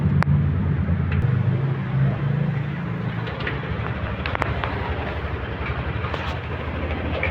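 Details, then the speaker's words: Yamaha NMAX 155 (new model) scooter engine after replacing the cam chain tensioner / cam chain adjustment, which was done without full teardown, only air filter and cover removed: previously rough, now a smooth, even low hum with no top-end ticking or rattle; normal running. "Ya, suara kembali halus, hanya ganti tensioner atau setelan keteng."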